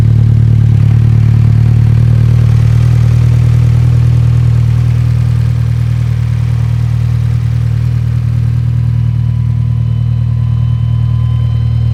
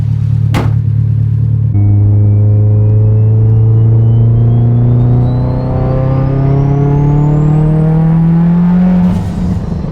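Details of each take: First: Mitsubishi Evo 10; deep idle with uneven, lumpy beat about three pulses a second that never settles, running rough; owner suspects heat, cause not confirmed. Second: Mitsubishi Evo 10 after fitting new ungapped Autolite plugs, with a looser gap than usual that may blow out under boost: a clean, steady rev climb from idle to high with no stumble; engine runs much better.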